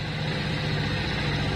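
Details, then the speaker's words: Hero Splendor+ motorcycle, 9,000 km, first cold start in the morning, idling without throttle: quiet even single-cylinder thump, loud at first then settling down; normal cold idle. "Start हो चुकी है हालाकि पहले start होती है जब बहुत तेज आवाज आती है अब धीरे-धीरे डाउन हो गई है"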